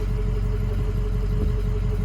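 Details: 2005 Ford F-450 dump truck, 6.0 Power Stroke diesel, after repair of skipping and low power (fuel pump suspected as cause), still warming up: smooth deep idle with a steady even hum, no misses or knocks; normal idle.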